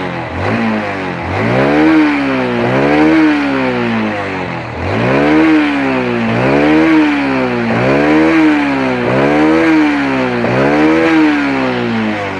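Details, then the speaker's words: Honda Supra 125 motorcycle after cleaning, previously hard to start in the morning and sputtering on snap throttle: clean crisp blips rising and falling with no sputter or misfire, clatter gone; normal revving. "biasanya motor ini kalau dihentak itu Bebel Heboh gitu Ini udah enggak udah aman"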